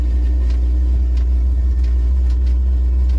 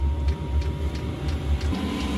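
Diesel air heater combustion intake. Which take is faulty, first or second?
first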